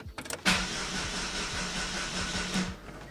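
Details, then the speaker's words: Daewoo after its starter solenoid was replaced and the starter reinstalled: the starter spins the engine at an even, brisk pace for about two seconds, but nothing fires or catches; cranks but won't start, cause unknown. "Let's see if it starts anymore. Starts up. No, it doesn't start anymore. What the fuck?"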